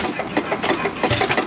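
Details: Old engine run slowly with spark retarded to fire lightly; sharp knocks about every third of a second; the knock developed after purchase despite keeping it greased, cause unknown; occasional backfire, intake valve owner says needs work.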